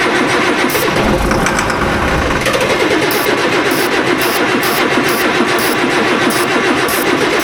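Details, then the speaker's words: Tractor diesel after new turbo and injectors fitted for high EGT, starting after bleeding air from fuel system: catches and settles into steady even run, no misses or knocks; normal healthy running. "πάμε, το καταλάβαμε, ω, τρέχει, αυτό είναι αυτό που θέλω"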